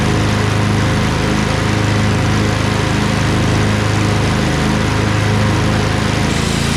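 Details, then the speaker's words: Craftsman LT2000 lawn tractor repowered with a Briggs 20HP Intek V-twin, owner unsure whether a gasket is blown. Ran about 10 minutes with PTO engaged under load: loud, steady low drone, no knocks or misfires, no smoke. Compression about 100-110 on both cylinders. "so uh it runs just fine ran it for about 10 minutes even with the uh pto engaged on load"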